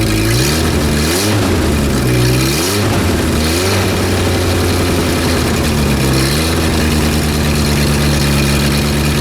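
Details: Renault R10 after 20+ years sitting: strong steady engine note picking up cleanly on each throttle blip and settling evenly; no blue exhaust smoke, healthy.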